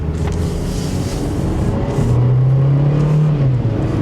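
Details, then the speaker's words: Used car with an automatic transmission, driven under moderate throttle up to 50–60 mph: engine note climbs, then drops cleanly at each shift with no slipping or harsh engagement; normal smooth upshifts. "there you saw it shifted shifted pretty smoothly there was no slipping no uh no kicking into gears none of that"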